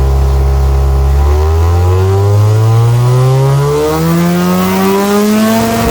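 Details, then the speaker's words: 1997 Mazda RX-7 FD3S half-bridgeport rotary with a Garrett GT35 turbo and Haltech ECU, on the dyno under load. It wails up smoothly, then flattens as boost rises and the fuel cuts at around 6000 rpm, a loss of power at high rpm. The cause is not yet known. "so at the moment it's not looking too good because you can hear and see on the graph that when the Boost goes up to around 6000 RPM it just entirely drops to the bottom and it just fuel Cuts"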